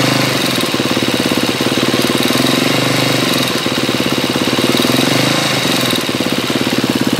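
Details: 2012 KTM 250 EXC-F with 23 hours, running Motul 300V 15W60 ester oil, idling with a fast, light ticking over its steady single-cylinder beat; noise present since 9 hours, cause unknown.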